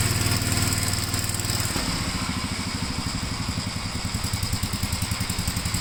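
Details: 1957 Gravely tractor mowing test: even, low single-cylinder thumping steady under mowing load, no misses or knocks; runs pretty good, healthy engine under load.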